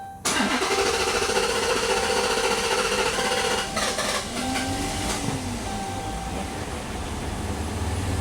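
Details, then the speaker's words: 2011 Dodge Charger R/T, first start after repair work with fuel nearly empty (gauge on red): cranks and catches, then runs unevenly with wavering tone while settling, expected to run rough briefly. "It's going to run kind of pissed off for a minute. Let her get her bearings here."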